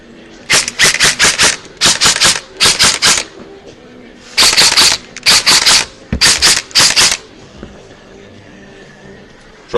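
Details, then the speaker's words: Echo1 Troy airsoft gearbox with 16:32:1 speed gear set, re-shimmed to one shim and motor height adjusted after too-low pinion mesh, semi-auto test: crisp even bursts of four or five shots, no high-pitched whine or grind; normal cycling. "sounds good don't hear high pitch or anything very nice trigger spots too"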